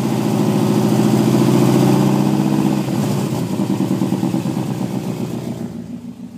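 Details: Engine idles then revs with a rough, pulsing puff in the exhaust note; fuel trims show very rich at idle and leaning out with throttle, suspected exhaust leak or bad O2 sensor.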